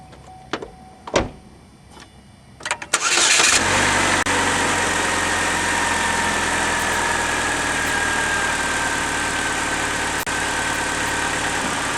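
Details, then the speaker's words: 2006 Chevy HHR starting right after an engine air filter replacement: quick catch, then smooth even idle with no knocks or misses, dash lights normal; normal idle. "she sounds good. All the lights are normal on the dash."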